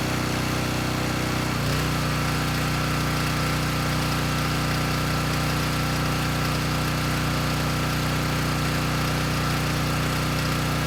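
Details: Coleman Powermate Pulse 1850 generator, about 23 years old, after fuel-system and carburetor repair (previously ran rough). A steady even drone with a brief pitch step early, then constant speed without surging or missing; engine sounds good.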